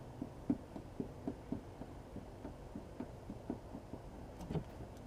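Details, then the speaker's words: Becker BM24 audio amplifier module from a BMW with intermittent sound loss on rough roads: irregular pops and crackles over a low hum as the shield is flexed, from cracked solder joints on the board; fix is resoldering them. "See the pictures I took to have a closer look at these few spots where the solder is cracked. You can see it and you can also hear it."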